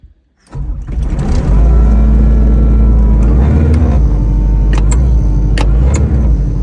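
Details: Kubota SVL75 skid steer diesel abandoned six years, restarted after freeing a throttle pedal jammed down by soil that caused hard revving: after the crank it settles into a steady, deep, even idle with no surging or runaway revs.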